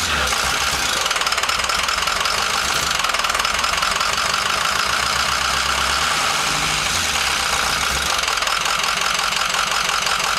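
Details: Ford F-250 diesel at idle: uneven, lumpy clatter that stumbles every few seconds instead of a steady beat; rough idle.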